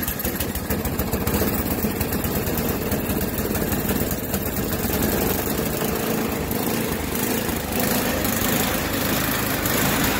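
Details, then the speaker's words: Yard Machines by MTD 26-inch snowblower, Tecumseh 8 hp engine on fresh gas, idling: revs keep rising and sagging, surging hard enough to rock the wheels, though it runs fine under load in snow. "that's a bit of a demonstration it's surging hard enough to like move the wheels back and forth"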